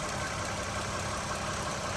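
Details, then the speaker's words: 2013 Toyota Sienna Limited at idle after replacing water pump, idler pulley and serpentine belt: steady, even idle with no squeal, chirp or bearing rumble; noise gone. "all right mission accomplished no more noise from the engine compartment problem water pump and idler pulley"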